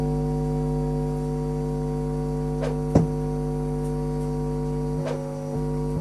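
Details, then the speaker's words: Home-built amplifier with mains hum: a steady low drone under the music caused by faulty filter capacitors (unstable voltage); after replacing two 470 µF capacitors with 1000 µF ones, the hum is reduced but still present. "itu suara permasalahan di bagian Elco karena tidak stabil sekali untuk di bagian tegangannya istilahnya Elco nya itu sudah bermasalah"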